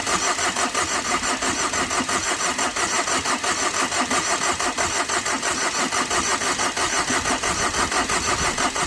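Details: Tata Vista after overheating when a radiator hose came off in underside impact; fast even cranking about four to five strokes a second, never catches across repeated attempts; won't start, cause unconfirmed.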